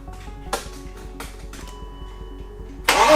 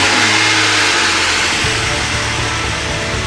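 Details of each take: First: BMW E36 328i 2.8 L six-cylinder, abandoned for 7 years, jump-started: steady even cranking, engine turns over but never fires; crank-no-start. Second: BMW E36 with M52 2.8 L inline-six, first start in over 7 years, with the broken fuel pump found to be the fault: fires and revs, then settles into a steady, somewhat rough idle; running again, may need an oil change.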